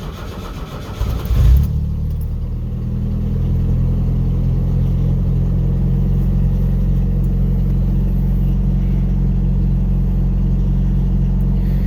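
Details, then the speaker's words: Pickup truck cold start about five hours later, after reconnecting the MAP sensor to the correct port, without pressing the gas pedal: cranks over a second before catching, then settles into a steady, even low idle; slow to start but smoother. "so it takes a little bit to get going normally when i hit the gas pedal it starts up a lot quicker"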